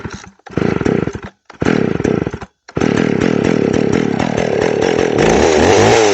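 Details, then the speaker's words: McCulloch Pro Mac 610 chainsaw on test cuts after clutch inspection and chain sharpening; short revving bursts, then a sustained rasping two-stroke scream holding speed through the cut; running great. "all right well you can see the uh Pro Max 610 is running great"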